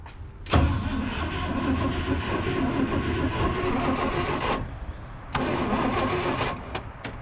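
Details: 1979 International Scout II after sitting 20+ years, new ignition switch fitted, had lost spark: two long bursts of steady starter cranking, engine spins freely but never fires; crank no start, cause unconfirmed.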